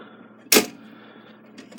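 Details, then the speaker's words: Takeda 30-day short-drop octagon clock that stopped after it was wound (owner suspects overwinding): while winding there is a dull clack and faint slips with no ratchet clicking. The mainspring end is slipping off its hook. "no click and as you turn it you can hear the end of the spring slipping off the hook okay and then obviously there's no no ratchet no clicking happening there so something is wrong with this"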